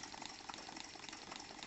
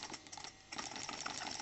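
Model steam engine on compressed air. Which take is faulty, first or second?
first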